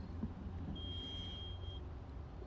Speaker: that noise you hear beeping in the background is this little igrill unit by weber that's what i'm using to measure the internal temps today